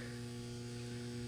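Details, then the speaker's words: Magnetizer recharging a WICO magneto magnet at 28 volts, three shots: steady low electrical hum with a buzzy edge, constant and even; coil energized and working normally, magnet strength improved afterward. "So I'm going to put this over here on my magnetizer, and I'm going to apply my 28 volts. And right away you can hear the hum, and I'm going to give it 3 shots."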